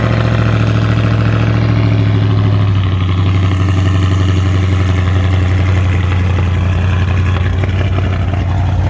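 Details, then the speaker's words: 2018 Dodge Charger R/T V8 with Jay Greene 217/238 cam, long-tube headers, full exhaust, intake and Diablo tune, cold start: deep lumpy idle with a loping cam rhythm about two beats a second, settling lower after a few seconds, clean and strong. Normal. "so we could get that cold start, because this thing hits. It runs great, drives great, performs extremely well, and you're about to hear it now."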